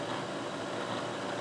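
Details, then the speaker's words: Bridgeport manual milling machine taking a cut off one side: steady, even cutting hiss with a faint constant tone and no squeal or chatter, chips flying, nice steady cut expected to leave a good surface finish; clean milling cut without chatter. "should be a nice surface finish it sounds good you don't hear chatter real nice Cut nice and steady"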